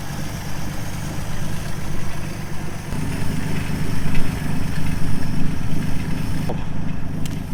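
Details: 1953 Plymouth barn find, unstarted for about 10 years, jump-started from a battery after corroded cables were replaced: low, even rumble at steady idle with no stumbling or knocking; the old engine has fired and settled into a healthy idle.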